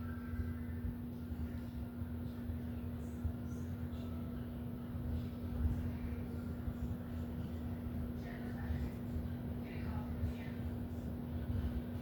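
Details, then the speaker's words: Startup of a 52" Home Decorators Tahiti Breeze ceiling fan, filmed up close: a quiet, steady low hum holds one even pitch as it spins up, with no grinding or clicking. Normal motor hum, though the owner notes slight wobble on medium and high. "You guys can just kind of see the blade spin up as you do the startup noise, and listen for the motor sound. So you can kind of judge it from there."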